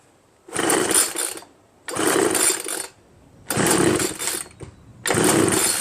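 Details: Free Homelite 25cc leaf blower with spark and fuel, carb set 2.5 turns out: four recoil pulls spin freely with no pop or catch; a scored piston has left it with no compression.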